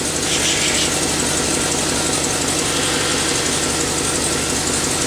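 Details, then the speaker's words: Chevrolet Silverado 6.0 V8 idling with fast, light ticking and hissy puffing from an exhaust manifold leak, heard while burping the cooling system after a water pump replacement. "I can hear it. I got an exhaust leak. It's from the manifolds."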